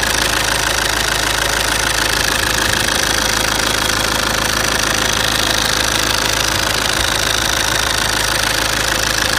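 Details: 1.9 CDTI diesel idling: sharp, even top-end ticking about three a second over a steady idle.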